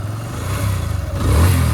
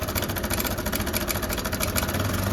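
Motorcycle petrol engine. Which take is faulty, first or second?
second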